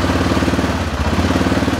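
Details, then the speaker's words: 2007 Arctic Cat 650 H1 ATV after replacing the 4x4 actuator; the old actuator whirred but the 4x4 would not engage. A steady single-cylinder chug with an even pulse and no clunks or grinding. The four-wheel drive engages normally. "once you're done bolting up the actuator plug in the electrical we're ready to fire it up [Music] it engages that's a good sign let's engage it"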